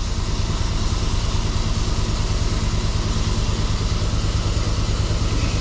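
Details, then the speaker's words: 5.3 V8 just installed with DOD/VVT delete, new intake, MSD plug wires and pushrods, first start before tuning, hood open, idling: loud uneven stumbling beat, misfire; owner suspects a plug wire off, then checks codes. "Immediately starts, you know. Hood open. Service park assist is still on. Uh-oh. Got a misfire happening."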